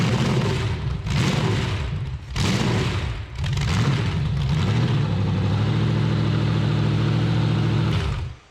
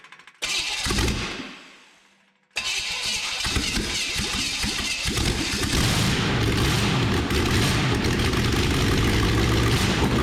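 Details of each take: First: Stock junkyard Chevy 350 small block, about 100,000 miles, pinned crank, new plugs and intake gaskets, with 871 supercharger on run stand: loud lumpy loping V8 idle after blips, gauge showing 20 inHg vacuum instead of boost; runs rough, suspected big vacuum leak or faulty gauge. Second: Bone-stock ~100,000-mile 1986 Chevrolet van 350 small block, crank pinned, new plugs and intake gaskets, blower fitted, open exhaust straight out of the heads: cranks, catches, loud rapid even rumble with no knocks; flames from all cylinders, seems to run pretty good.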